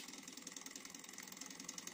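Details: Mini Alpha Stirling engine running on an alcohol burner after re-setting piston timing, since a loosened pulley screw had decoupled it; light, quick, even ticking with no knocks or rubbing; speeds up with more heat. Normal running.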